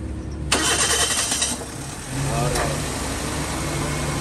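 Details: Car with a two-month-old battery reading 11.7 V, raised to 12.7 V by a DIY power bank jump start. A short harsh crank, then it catches in about two seconds and settles to an even, steady idle.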